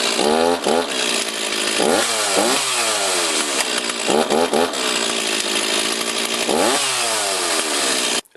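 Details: STIHL MS260 chainsaw after chain brake hand guard replacement, started to test the brake: quick revs with pitch rising and falling crisply and steady firing; running healthy.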